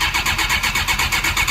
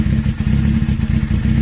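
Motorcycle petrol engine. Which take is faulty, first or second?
first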